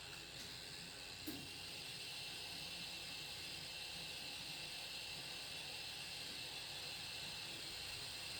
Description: This noise only occurs on 850W PSU when graphics card is under load during gaming (GTX 1080 - Reference card)